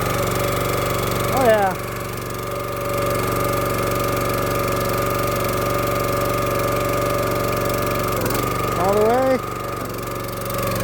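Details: Small-engine hydraulic log splitter, run after sitting 2–4 years, revved up while the levers and ram are cycled. Steady even drone with a short rising whine each time the ram moves: normal running under hydraulic load.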